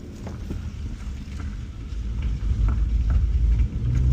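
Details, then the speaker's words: Stinger under repair, driving and turning on worn tires: light sharp ticks, roughly three a second, over engine and road rumble, chick-chick on each turn from a big screw embedded in one tire. "One tire has a big screw in it. That's why every time I turn here, look, listen. When I turn, you'll hear it go chick, chick, chick, chick."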